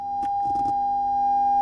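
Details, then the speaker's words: Fender Super 60 1x12 combo guitar amp under service (clean-channel volume not going to ground, hum, cathode resistor modified by someone): second channel passes a clean, even test tone with no hum or dropout; normal output. "so let's just see if the other channel is working and that's working so we've not lost anything there either"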